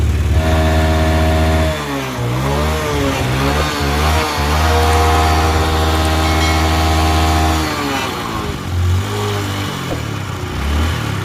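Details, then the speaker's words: Honda Dream Yuga with a worn-out engine: rough, uneven single-cylinder idle that dips and surges with shaky revving and smoke from the silencer; it stalls and fouls spark plugs every 2–3 km. "Sound అనేది ఈ రకంగా వస్తుందన్నమాట మొత్తం engine పోయిందన్నమాట"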